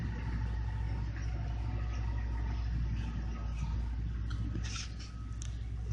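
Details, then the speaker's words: 2008 Dodge Avenger, test drive after intermittent crank-no-start fixed by repairing a broken injector wire: steady low engine drone under road noise, no stumbling, misses or cutting out; runs great, normal running after repair. "that was it so we fixed the problem if the car runs great now"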